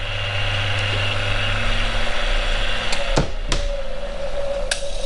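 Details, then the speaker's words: Refurbished drill press motor with new bearings, run on the bench: hum fades as it coasts down, then a few sharp clicks as the centrifugal start switch drops back in; normal behaviour. "and you can hear the secondary switch cut out there as the centrifuge comes back in brilliant it's working and it looks good"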